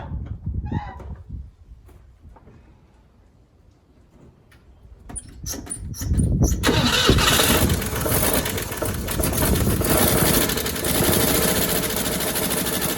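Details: 1957 Chevrolet Bel Air after sitting 30 years, gravity-fed from a gas can: after quiet, it cranks, catches and runs loud, lumpy and uneven; rough running, cause not yet found.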